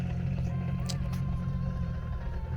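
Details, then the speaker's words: Lexus IS300 turbo build, after idle adjustments, test drive before first dyno: steady low drone with a faint whining tone riding on top while driving; gearbox really noisy, owner may replace it soon, cause not pinned down. "Um yes, you're going to hear the gearbox is really noisy. I might replace that very soon, but yeah."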